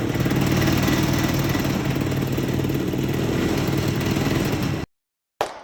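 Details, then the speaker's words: 1969 (believed) Tradewinds Tiger snowmobile, original paint, first run: crisp, even two-stroke buzz at steady fast idle for several seconds before cutting off; runs and sounds good, some carb tuning still needed. "well this is a fun little slud it runs good it sounds good A little bit of carb tuning still needs to be done"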